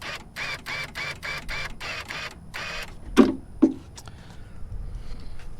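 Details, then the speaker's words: 1997-2001 Jeep XJ power door lock actuator, opened with stripped gears inside and plugged in: a few quick uneven clicks about two a second, then two sharp clunks with no clean lock travel; stripped actuator gears. "Alright, well, here's the inside of it, and there's another set of gears underneath this I can't get apart, and there's something in there that's stripped out."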